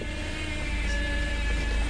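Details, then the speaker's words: Salvage-auction car with a cracked windshield, just started: a steady high-pitched whine over a low idle rumble, suspected power steering whine. Low coolant warning is shown; the source is unconfirmed. "I doesn't sound good does it it doesn't sound good at all sounds like a power steering whine"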